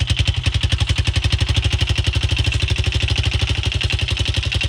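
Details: Rebuilt Yamaha Raptor 660SE ATV, bought wrecked with engine in a box, now reassembled with new chain: even, steady single-cylinder thump about ten beats a second at idle, no knock or rattle; running healthy.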